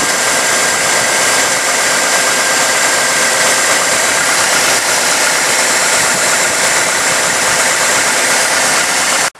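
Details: 1998 GMC Sonoma pickup running after water pump replacement (old pump's seals leaking), coolant topped up: even steady run with no knocks, ticks or squeals until shut off; healthy smooth idle.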